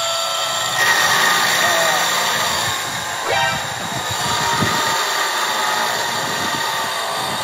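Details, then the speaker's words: Brass wheel spun toward very high rpm on a water jet: thin steady high-pitched whine over rushing jet hiss; bushings dragging, running very hot from friction. "Well, that's really hot, probably because the bushings are creating a lot of friction."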